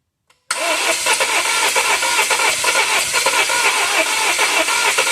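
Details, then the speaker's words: 2017 Volvo XC90, cranking with a scope and a vacuum transducer on the intake: steady fast even cranking, almost wanting to start, but never catching; crank-no-start condition. "uh H yeah I'm not sure if you can tell how it sounded uh almost like it wanted to start like it was hdden"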